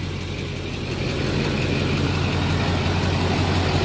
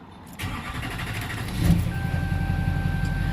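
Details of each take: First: Duramax LBZ diesel idling after a fuel filter change to a CAT filter with aftermarket adapter and priming: steady, even clatter with a firm low rumble, no misses, knocks or hunting, no leaks seen; normal healthy idle. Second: Duramax LBZ diesel truck after fuel filter change to a Cat filter with aftermarket adapter, system not primed: slow labored cranking before catching, then rough running; hard start from air in fuel, fixed by bleeding.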